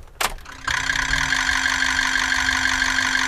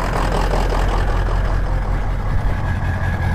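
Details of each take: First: Used 2003–07 Ford 6.0 Powerstroke at key-on: a click, then about 2.5 seconds of even, steady injector solenoid buzz from all injectors together, with no skips or delay. Healthy injectors. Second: 03-07 Ford 6.0 Powerstroke diesel with stock exhaust, just started after cycling the glow plugs twice: an uneven, choppy exhaust idle with a lumpy pulse of about two beats a second and the tailpipe shaking. Misfire from plugged injector, one injector down.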